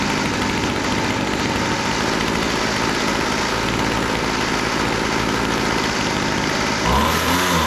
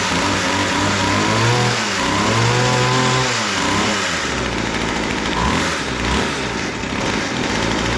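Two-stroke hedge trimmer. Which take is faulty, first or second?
second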